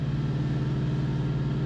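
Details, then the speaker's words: Semi truck diesel APU running with a steady low drone and even pulse, no knocks or rattles, after a hot day with the truck's AC compressor suspected failed; APU working normally. "And as you can probably hear, my APU is working, so I'll take it. I will take it."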